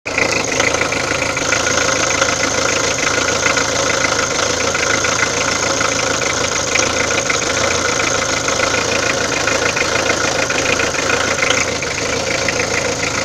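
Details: Peugeot diesel idling evenly with a fast, sharp ticking over a harsh clatter; abnormal engine noise at idle, cause not clear.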